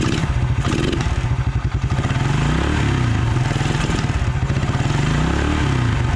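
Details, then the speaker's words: 1996 Suzuki King Quad 300 4x4 ATV single-cylinder just started after carburetor rebuild, air box and air filter off so likely slightly lean: fast even idle with some mechanical clatter, steady and fairly clean; normal running. "i think it's going to run good once we get the air box back on there"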